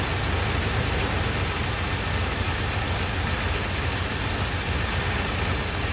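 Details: 1978 Chevrolet C10 V8, running off its gas tank after new plugs, wires and first oil change in 10 years: steady low even idle with no misses or knocks; normal idle, fuel pump working, smoking fairly heavily.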